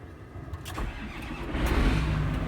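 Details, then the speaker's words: John Deere 8000 series diesel tractor cranking after a selective control valve rebuild: it turns over briskly and builds toward firing with no drag. Before, it dragged because the hydraulic pump stayed engaged via valve number 2. "it cranked over real fast."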